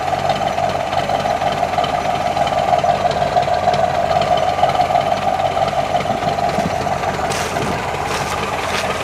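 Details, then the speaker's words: 1965 Chevrolet Corvette Stingray, L79 327 350 HP V8, M21 Muncie four-speed, hood up, original 52-amp alternator refitted; steady even idle with smooth low rumble, no knocks or misses, normal idle. "sounds really smooth yeah it rides nice i'm real happy with it"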